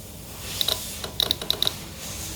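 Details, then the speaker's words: Fuel system upgrade with surge tank: a relay triggered on a 14.1 V bench power supply gives several sharp, crisp clicks in a quiet room; clean engagement, normal relay. "Let's trigger the relay. How much it is here? 0.15. You can hear the click, if you can hear the click actually."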